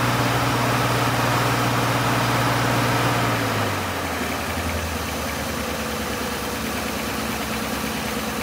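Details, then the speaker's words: 1950 Pontiac Chieftain, after long storage, running on the fuel pump after the gravity fuel bottle was disconnected: even idle settling slightly lower and staying smooth; normal idle, still running after suspected overflow from combined bottle and pump pressure. "it seems like everything's working i would have thought that the car would have died by now"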